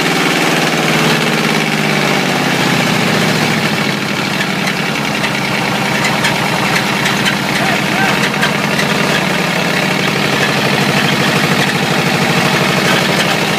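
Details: Ford 351W V8 with a spun rod bearing, abused until it dies: rough idle with a steady, deep metallic knock under the exhaust note; rod knock.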